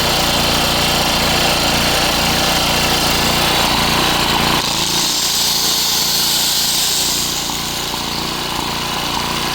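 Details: Coleman Powermate PM 1500 generator after repair, powering an angle grinder: loud steady engine drone with grinder whine on top, speed holding with only a slight sag; normal running under electrical load.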